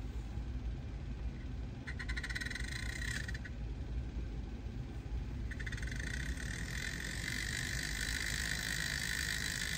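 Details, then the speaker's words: Atlas model train locomotive, not run in a long time, on track before wheel cleaning with Woodland Scenics Tidy Track: harsh gritty rattle over low drone with intermittent hissing squeal; rough noisy running, dirty wheels suspected. "so we'll see how well this runs because I haven't run this in God I don't know how long let's see what we got here not too bad doesn't sound good"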